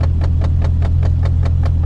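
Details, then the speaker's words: V6 automatic salvage-auction car with hood scoop: deep steady idle, even exhaust pulse about five per second, no knocks, throaty note; sounds healthy, though the exhaust is suspected to be missing. "I'll go ahead and fire it up, and it actually sounds really good."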